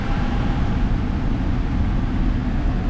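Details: Duramax 4x4 diesel pickup, 130,000 miles, just started at auction yard: steady, even low diesel rumble with no knocks or misses, idling smoothly with good oil pressure; normal diesel idle.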